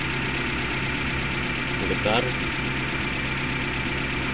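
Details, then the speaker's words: Suzuki Carry Futura pickup engine idling rough and vibrating with an uneven, shaky beat. One cylinder isn't firing; coil, spark plug and injector are to be checked, and it is traced to the number 3 spark plug. Misfire rough idle. "yaetar seperti ada satu e pengapian yang tidak berfungsi kita mau cek dulu apakah eh foil atau busi atau injektor yang bermasalah atau bagian yang lainnya"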